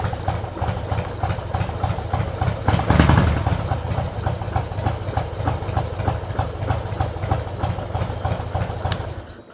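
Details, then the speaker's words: Mostly original carbureted two-cylinder Harley Sportster just started on choke; deep irregular potato-potato thump, as if about to stall but not, with a brief blip, unlike regular injected twins; exhaust apparently altered; normal lumpy idle. "Ini tadi suaranya nggak beraturan, kayak mau mati nggak jadi mati gitu kan. Dentumannya bener-bener nggak beraturan."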